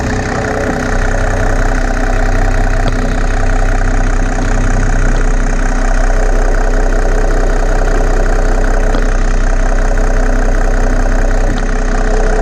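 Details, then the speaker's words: Mercedes W210 E300 Turbodiesel OM606 idling after running a LiquiMoly diesel purge: even, deep clatter about three beats a second with no misses or loose knocks; smooth normal diesel idle. "I don't know if you guys agree but it sounds real smooth especially rpm like that sounds really good"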